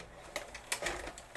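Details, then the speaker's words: Magnavox ZV457MG9A VCR/DVD combo, after cleaning and realigning sensor receivers aimed at the prism: light quick clicks as cassette loads, no scraping or grinding; normal tape loading. "and it takes it perfectly was it something that simple just needed the receivers in the prism to be cleaned"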